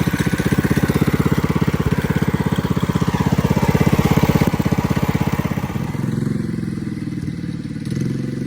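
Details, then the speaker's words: Coleman CC100X mini bike, brand new 212cc Hemi engine with governor and oil sensor removed, torque converter installed: loud, rapid, evenly spaced single-cylinder bark settling to a calmer steady idle. Normal running, loud, needs adjusting. "here she is it fires up I'll go ahead and do that right now it's a little loud got to adjust"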